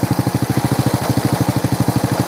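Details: Honda Supra motorcycle fitted with a Honda Grand coil, whose engine internals were wrecked by another shop's careless work and then rebuilt: an even, steady idle putter at about eleven beats a second with no knocks or rattles; sounds healthy.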